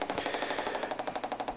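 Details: Compaq Presario CQ50-130US laptop, about three weeks old, popping since the previous Sunday with a sound card believed defective. A loud, fast, even popping at about a dozen per second, like a Geiger counter, pointing to faulty audio output.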